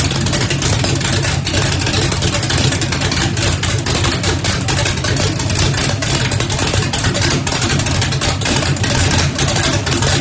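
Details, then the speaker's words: Rebuilt turbocharged small-block Chevy (1800 hp target) in a Mustang drag car, Lil John camshaft, first start after rebuild helped by a shot of brake cleaner; loud choppy lumpy big-cam idle, steady and clean; normal healthy engine. "it sounds pretty healthy I couldn't hardly breathe but it cranked up and it runs so I am super excited"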